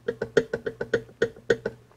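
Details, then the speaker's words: Garage-sale mill vise for a shaper, base set on a surface plate: sharp, hollow metal clacks about five times a second as it tips back and forth; the base rocks and is not flat, front face is flat. "I wish I could say the same about the base, because I don't know if you can hear it."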